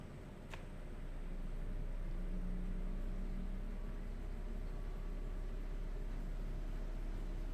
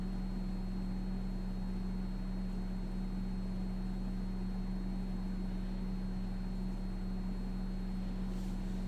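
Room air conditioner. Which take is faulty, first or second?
second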